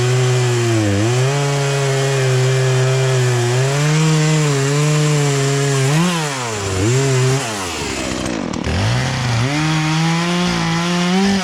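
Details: Poulan Pro two-stroke chainsaw, sat unused about three years, after carburetor adjustment, cutting small logs; strong steady high rev dips cleanly under load and picks right back up, no bogging or stumbling; running properly.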